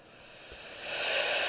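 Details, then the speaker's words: Harvard 410T CB handheld after reverse polarity damage repair (audio IC, smoothing capacitor, 3357 chip replaced): soft steady hiss with no crackle or dropouts; receiving on frequency, working normally. "But as you can hear, it's now receiving. It's on frequency."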